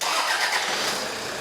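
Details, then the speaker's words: Toyota Hilux diesel with nearly 500,000 km, first start after all fluids were replaced: fires and catches straight into a rattly idle that settles quickly; the rattle is normal diesel sound, nothing wrong. "Look, diesels don't sound great. I don't reckon."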